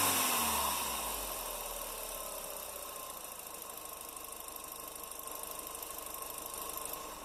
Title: Audi S3 BAM rattle sound